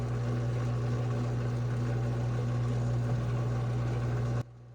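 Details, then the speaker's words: GE Hydrowave washer, before motor replacement, snake removed, shifter working: low steady motor hum with no spin-up, then cuts out; basket rotates super slowly and won't reach drain spin; weak drive motor, to be replaced. "So your washer will not actually go into an actual spin to drain the excess water, so your washer will not be spinning fast enough. So super slow rotation, it's a sign of a bad motor."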